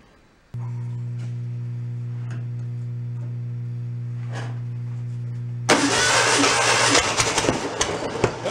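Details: 1968 VW bus engine that sat 40 years in the dirt, cranking with a steady, quick starter spin and no compression puffs, then a loud rush. It had a dropped valve and no compression on 3 cylinders.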